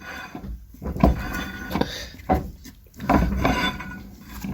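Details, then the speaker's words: 1987 Isuzu Trooper with Passat rear brakes, wheel turned by hand before brake fluid fill: irregular scraping rubs in slow bursts; caliper not rubbing, wheel/rotor dragging on the pads. "zacisk sam w sobie nigdzie nie trze a ten taki dziwny dźwięk który słychać to jest obcieranie koła o same klocki"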